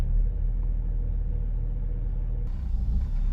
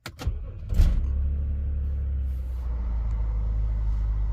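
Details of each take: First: BMW X5 E70 with a drivetrain malfunction warning: low, uneven idle that sags and pulses, with the tachometer bouncing and the engine nearly stalling; the cause was found to be faulty VANOS solenoids. Rough idle from faulty VANOS solenoids. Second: BMW X5 E70 after fixing rough idle and drivetrain malfunction warning by replacing VANOS solenoid and clearing fault codes; engine catches after brief crank and idles with steady, even low rumble, no stumbles or misses.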